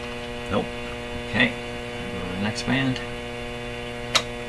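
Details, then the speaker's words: RCA Victor 911KG console radio, shortwave bands turned way up (11–15 MHz, 19 m), no stations received: only a constant loud low mains hum, not noticed the day before; cause unknown. "So, I'm going to shut this off so we don't have to listen to that terrible hum, which I don't recall that being there yesterday."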